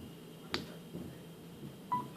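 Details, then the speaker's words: Samsung Galaxy S4 (T-Mobile) after water damage repair, 45% battery: a soft tap then a short two-note chime in a quiet room as the charger is plugged in; phone accepting charge normally. "there you go you hear that unplug so it's definitely charging so it's accepting the charge and everything connected to Wi-Fi fully working"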